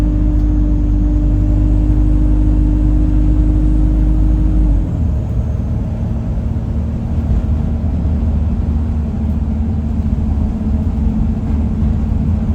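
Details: Alexander Dennis Enviro 200 E20D diesel bus: a whistling that turns into a steady horn-like drone over the diesel rumble, stepping down with engine speed, much louder toward the front; owner suspects the gearbox, bus also felt sluggish.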